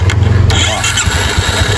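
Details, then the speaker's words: 2019 Yamaha motorcycle with no-start complaint, starter fed directly across its two terminals: quick even cranking for half a second, engine catches and runs steadily; starter and brushes good. "tá vendo? Aí pegou pess, funcionou. Significa o quê? Desliga lá. Significa que o arranque tá bom."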